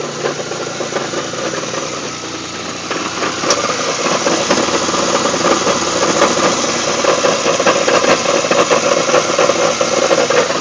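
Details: GTP 3800 V6 idling with a nasty, busy metallic rattle, slightly uneven; cause unknown.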